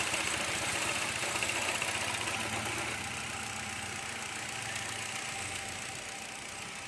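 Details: Engine of a 2016 Hyundai Accent, repaired after a no-crank/no-start problem, settles into an even idle with a steady fine patter and smooth hum, no knocks or misses; running normally.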